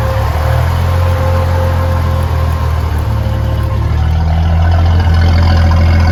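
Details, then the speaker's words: Turbo Ford 300 (4.9) inline six, first fire-up after Comp 268 cam install, about 17–18 minutes running, coolant ~209°F, 60 psi oil pressure, timing ~12°: steady even idle, smooth rumble, no knocks, ticks or misfires. "Everything looks good. Still got 60 pounds of oil pressure. A few more minutes, I'll idle it down and we'll listen to it."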